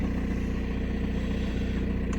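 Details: VW Passat B6 1.9 PD TDI diesel, 2006, 318,000 km, after underhood wiring repair that cured starting only in 1st gear: steady even idle clatter, regular unbroken firing; engine running normally, injector correction in norm.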